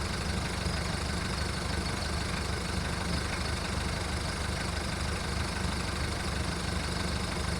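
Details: VW Golf mk1 1.9 TD turbo diesel warming up after first cold start following 5 months storage: loud deep clatter pulsing unevenly about 3–4 per second, never settling; rough cold idle.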